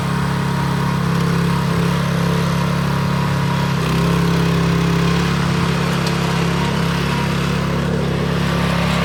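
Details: Scotts tiller with the trashed original engine replaced by a DeWalt pressure washer engine, run after the swap: fast, even single-cylinder drone with no knocks or misses. Runs healthy; ready to go.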